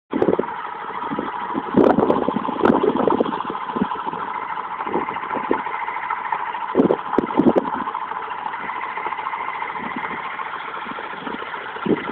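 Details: Mazda RX8 rotary at idle: uneven idle with irregular sharp knocks and clatters every second or two; owner also reports slow revving at low revs and asks for ideas, the knock's source is unclear.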